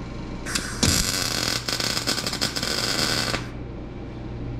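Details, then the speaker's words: MIG welding in 1955 Chevy trunk, setting turned up a notch after a poor first weld: about three seconds of even crackling sizzle without long breaks; steady arc, flatter better weld. "sounded better looks a little better [Music] all right so we've got a little flatter weld there actually seems like it might have actually done something"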